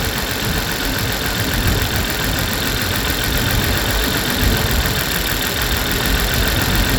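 Loud cold idle with a ragged, uneven beat instead of a smooth hum; misfiring on cold start, cause not yet pinned down.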